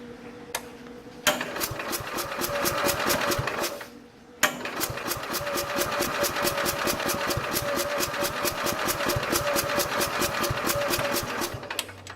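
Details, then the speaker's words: 1969 Bolens 850 tractor with a Wisconsin S8D 8¼ hp engine, warm, just after running: long stretches of steady starter cranking at about two turns a second before it fires; hard hot restart, and it runs okay once going; cause unclear. "It should just turn the key, bam, and start right back up again, and it doesn't."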